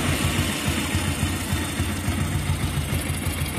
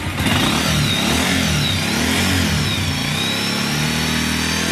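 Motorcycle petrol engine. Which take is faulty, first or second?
first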